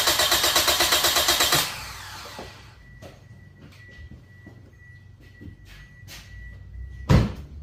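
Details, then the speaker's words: Toyota engine cranking with a manual compression gauge fitted, reading about 175–190 psi. Strong, even cranking pulses at about seven a second; healthy compression. "this is manual gauge number two I'm going to get in crank it we're going to see how much pressure it generates"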